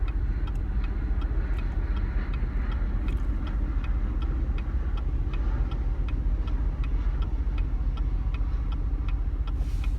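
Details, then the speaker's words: 2016 Chevrolet Camaro at idle after pulling over on the road, no check engine light: uneven rough idle with sharp ticks or knocks about three to four per second, RPM needle dancing, engine shaking and jerking; cause not identified. "it's a really bad jerk you can see the RPM hand dancing around a bit it's running really rough"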